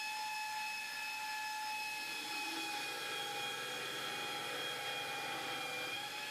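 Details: 2x48 belt grinder attachment driven by a bench grinder motor, ground hard under heavy pressure: steady high whine sags only slightly and holds speed without bogging down, a healthy motor under load.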